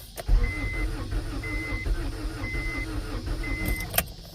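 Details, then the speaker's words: 1992 Acura Integra, sat over 5 years; new distributor and starter fitted, fresh gas added. Starter churns under a beeping door chime with a brief stumble that never catches; crank no-start. Owner suspects no fuel pump. "I might not have a fuel pump. I know you're tired, baby."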